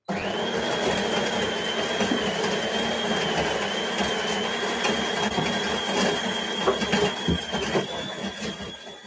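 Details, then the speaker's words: DeLonghi Eletta Explore superautomatic coffee machine grinding beans for a cold brew drink at intense setting: steady high whirr at one even pitch for about 10 seconds with bean crackle underneath, large dose; grinder sounds normal. "That ground for about 10 seconds there. So it's going to be a pretty good sized dose. Sounds different."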